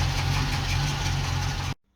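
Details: Ex-NZ Army V8 Land Rover (NZ 341) after Mallory ignition replacement, before timing was checked: steady, smooth V8 idle with even low throb, no misfire or stumble, then switched off; running fine.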